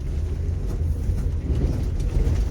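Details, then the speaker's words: Mercury Cougar V8 running badly, shaking with a lumpy, uneven rumble and firing on only a couple of cylinders; it dislikes wide-open throttle and the carburetor needs a rebuild, cause otherwise unconfirmed. "Oh, she real happy. She's running on just a couple cylinders. This is where the term tune-up came from."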